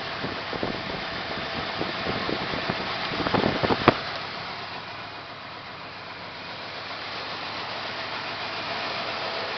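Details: 1974 Plymouth Satellite 318 V8, timing and plug wires correct: rough idle, the beat stumbling and surging instead of holding a steady rhythm.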